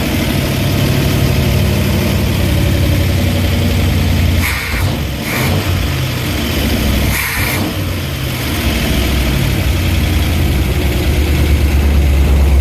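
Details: Dead derby-style van V8, revived with gas poured into the float bowl vent and a weak starter: rough, lumpy idle through open pipes with a couple of short revs, then a steady beat. Normal idle.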